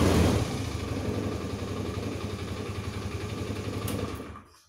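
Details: Honda Scoopy PGM-FI scooter at idle: rough uneven clattering with loose metallic rattle and thick white exhaust smoke; worn piston suspected, or possibly valve seals, before piston replacement.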